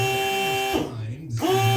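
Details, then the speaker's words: Truck air horn, the shortest of three: two short, thin, buzzy blasts that never build to a full blare; not working properly, hookup was wasting compressor air. "so let's see what this sounds like so yeah that one's not really working right so we're going to leave that one out"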